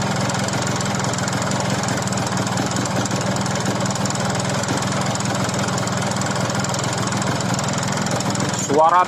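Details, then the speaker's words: Yamaha RX King two-stroke after oversize rebore with new piston, pin, bearing and rings: steady idle with rough rapid ticking over it; cylinder knock from poorly machined rebore. "semestinya suaranya halus tetapi disini malah kasar lebih kurang suaranya seperti ini ya"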